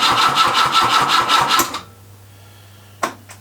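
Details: Grandfather's Peugeot 104, first start attempt on a temporary fuel tank with spark plugs checked: even starter cranking, about three compression beats a second, for under two seconds, and it never fires. Crank, no start; no fuel at the carburettor yet.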